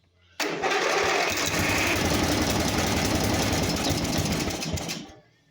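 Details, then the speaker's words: Simplicity 4212 garden tractor under restoration, first start after fresh gas and air filter work: catches and runs a few seconds with uneven chatter, then dies abruptly; owner suspects a carburetor problem. "I think something with the carbs going on or something."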